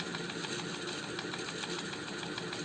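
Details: Ceiling fan opened up and run on low speed: rhythmic scratchy rasp, about four strokes a second, over its steady running hum; it stops when the fan is switched off. The claim is that such noise need not mean bad bearings.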